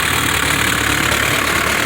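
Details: 1960 Mercedes-Benz 190D diesel after it suddenly stopped, now with new battery terminals and ground straps (4 and 2 gauge): steady idle clatter, even unbroken rhythm, no stumbling; running smoothly again.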